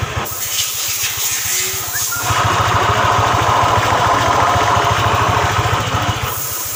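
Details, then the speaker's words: 2018 Honda scooter (Vario/Beat type) CVT making a rough rhythmic growl, about three pulses a second, when pushed; worn CVT bearing (6902), replaced to restore smoothness. "ini CVT nya ini suaranya itu kasar sekali seperti ngorok ngorok kalau didorong suaranya kasar sekali"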